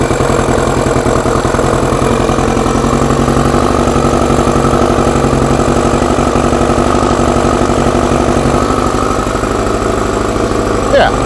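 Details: Four-cylinder carbureted bike after fuel pump primed, no air restriction fitted: settles into steady even idle after start, a bit lumpy on choke but running cleanly; carbs not yet balanced; normal idle.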